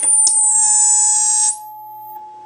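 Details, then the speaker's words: 1960s Wollensak 3M Model 1520 reel-to-reel tape machine: after stopping tape and raising volume, a piercing high squeal rises and cuts off; amplifier feedback, cause unknown. "okay so i'm not sure what just happened then you saw when i turned the tape off there was an incredible feedback and when i turn the volume back up it happens again"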